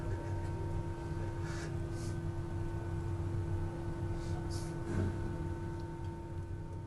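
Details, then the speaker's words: 3/8-scale model of the Bristol Hercules radial engine front row of 7 cylinders, offset crank: smooth, even, quiet hum with only faint relay clicking; running normally. "And we're also very pleased with how quiet and smoothly it's running. You can't hear the relays clicking too much."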